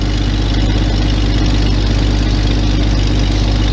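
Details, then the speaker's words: Jeep Cherokee XJ with EFI engine, cold start at 14°F: steady, even idle with low drone, no knocks or misses; settles quickly and runs smoothly in the cold. "cold start challenge for stuff with cletus oh there it is it's efi so i mean i kind of feel like i'm not doing the cold starts out uh cold start challenge the service it deserves because it is efi"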